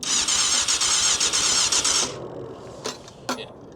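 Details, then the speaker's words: 1998 Yamaha YZF600R Thundercat, sitting since 2013, fresh battery and serviced carbs; starter whirs about two seconds in an even pulsing rhythm without catching or firing; engine turns over, not seized, but won't start. ">> But the engine's turning over, right? >> Yeah. >> So, it's not seized."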